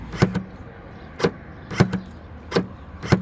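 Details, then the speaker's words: Smart ForFour 454 tailgate release, tested by bridging the handle switch terminals: crisp double clunks every second or so as the latch releases; actuator and wiring work, fault is in the switch. "Seems like it works to me."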